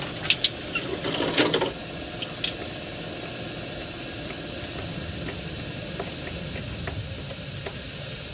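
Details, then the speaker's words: Freightliner M2, unloaded truck, rear air suspension: a steady airy hiss under a few knocks and clatters as the suspension drops, losing air within three minutes from a leaking air bag; the air bag and leveling valve were replaced. "here you can see this thing the suspension's dropping it's already lost it here i've been under here for three minutes and we're already we've already lost air"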